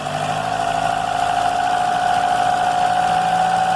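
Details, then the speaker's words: Car with an engine noise traced to the crankshaft belt, run with the belt removed and revved gently: steady, even fast idle with no squeal or knock, so the noise stopped; the engine internals are fine and a new belt is due. "então pessoal vocês viu aí que o barulho parou então uma coisa tá livre o motor não tem problema dentro do motor não tem problema nenhum"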